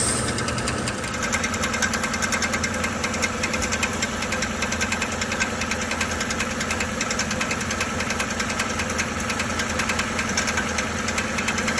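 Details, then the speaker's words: 2013 Chevrolet Silverado 1500 5.3 L V8 idling with a steady metallic rattling knock, mistaken for flywheel/flex plate trouble; cause was the starter drive gear staying engaged with the flex plate after starting. "bueno este es el problema de esta troca ese ruido que parecía que era el volante flywheel flex plate resultó sobre esta cosita de estar en arranque marcha como le llamen"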